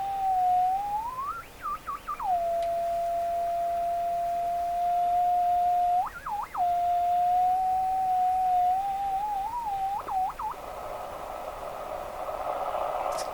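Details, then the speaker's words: Westinghouse 535 tube radio: a steady high whistle with warbling jumps in pitch over several seconds, a spurious oscillation. Suspected to come from missing shielding on the glass 6Q7 tube; a metal tube might cure it, not confirmed. "So all that wheeling, squealing, dealing nonsense is probably coming from lack of shielding."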